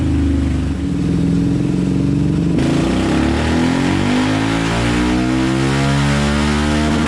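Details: Yamaha Raptor 700 quad on a dyno after custom tune, new Rossier exhaust and Fuel Customs intake; single pulls smoothly, pitch climbing steadily through the revs, no stumbles, misses or popping. Normal revving.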